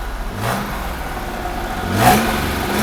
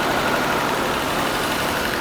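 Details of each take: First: 1982 Mercedes-Benz W126 280SEL after fuel distributor repair and fuel pump replacement, running while reversing: revs up and settles twice with buzzing vibration over exhaust note; broken exhaust pipe resonating against body, needs fixing. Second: 1982 Mercedes-Benz W126 280SEL after fuel distributor repair and fuel pump replacement, first cold start: steady, even cold idle with constant hiss, no stumbles or hunting; cold enrichment (warm-up valve) working normally, normal cold idle.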